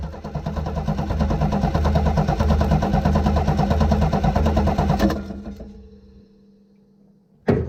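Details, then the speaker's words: 1966 Chevy Nova compression test, throttle wide open: even, steady cranking a bit over two strokes a second for five seconds, no uneven beats; gauge reads 150, normal cranking compression. "Okay, 150, not bad."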